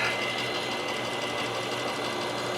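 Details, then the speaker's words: 1997 Mercedes S500 coupe V8 after a head gasket fix: a steady, even idle, much happier, with a light buzzing rattle from the side mirror that buzzes whenever the car is on. "I think it's a lot happier. I think it's way happier."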